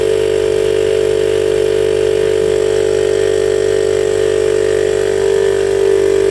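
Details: DIY 12V compressor on a recycled 40 L tank, big permanent-magnet motor drawing about 30 A, rated 72 L/min, pumping toward 100 psi. Steady hard hum with quick even pumping beat, about two or three strokes a second; normal running.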